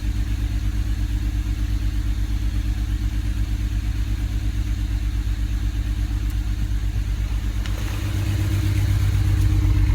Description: Problem ended up being a bad injector in cylinder 6. This was causing the car to run on 5 cylinders, idle terribly, and made the car pretty much undrivable.